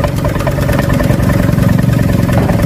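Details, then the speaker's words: Honda Vario Techno 125 fitted with a smaller Vario/Beat 110 injector, jumpered with a 2 kΩ resistor: a low, slightly lumpy single-cylinder idle that keeps running without dying. It still feels a bit off when revved. "Langsamnya nggak mati-mati tuh,"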